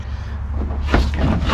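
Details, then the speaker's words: 1996 Mercruiser 4.3L V6 in a boat unused for 18 years: low electrical hum, then a clunk and short chatter as the starter intermittently engages, but the engine never turns. Engine seized. "hear the starter trying to engage now so that's a good thing bad thing is nothing's happening so we're still still back to that part of trying to get this thing free"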